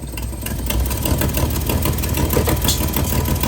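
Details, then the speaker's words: Project Z car (twin carbs with dash pots, electric fuel pump) just after carbs refitted, chokes fixed, dash pots not yet oiled: engine races fast and unevenly with no throttle, surging; high idle from carburettors way out of adjustment. "it's good it's way out of adjustment but"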